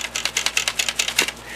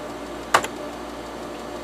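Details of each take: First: Used TEAC FD-505 3.5/5.25 combo floppy drive handled on arrival: sharp, light plastic clicks in quick bursts from something loose inside. Possibly a loose or broken drive head, not confirmed. Loose part rattle. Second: Used TEAC FD-505 3.5/5.25 combo floppy drive, 5.25 side double-density alignment test: sharp clack then half-second buzzing chatter as head steps across tracks; alignment holds, drive healthy.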